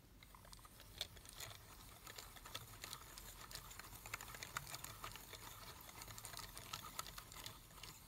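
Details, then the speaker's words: Drake TR4C PTO/VFO after rework to fix stiff tuning, knob thrashed end to end with disc not yet fastened: only faint scattered light ticks, no grinding or binding; tuning drive turns smoothly and quietly. "so that's the quietest one i've had yet you can hear the disc is loose because i don't have it fastened"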